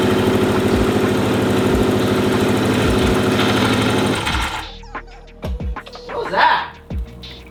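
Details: 2004 Subaru WRX STI EJ, reused built rod-and-piston short block of unknown mileage, first start without alternator: rough run with hard regular knock about four per second, then cuts out; deep internal knock, likely bottom end, unconfirmed.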